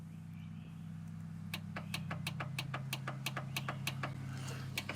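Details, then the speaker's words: 43-year-old International Transtar II, sitting over 20 years, with the engine start button pressed: fast steady clicking about three times a second from the rear near the solenoid over a low hum; the engine does not crank. "but it just keep clicking it cuz I hear it fast just bam bam bam I can hear it in the back"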